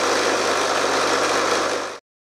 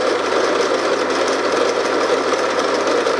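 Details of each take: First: RF45-style milling machine (AMA 45), six-speed oil-filled geared head, bought second-hand, worsening noise and spindle seal leak: dense constant rattling clatter over motor hum, stopping abruptly at shutdown; gearbox rattle, cause not yet found. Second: RF45-style milling machine (AMA 45, Taiwanese) geared head after a gearbox rebuild for a rattle, less backlash in the gear train, resealed and refilled with recommended gear oil: steady, even whirr for about four seconds before shutdown, then handling clicks; no grinding or rattle, much quieter and smoother than before.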